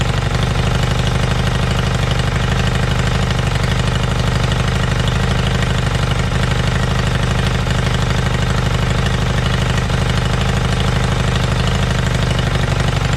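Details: Kawasaki Zephyr 750 motorcycle, restoration project with carbs and exhaust just refitted; steady, even fast idle with loud, rough exhaust rasp, no misses or knocks. Both cylinders firing evenly.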